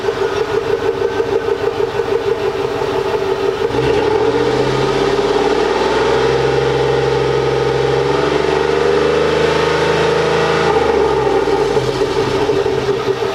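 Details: 2004 Chevy Tahoe Z71 5.3-liter V8, recently bought, heard under the hood: catches cleanly and settles into a steady, even idle with a brief rev in the middle; smooth, normal start and idle.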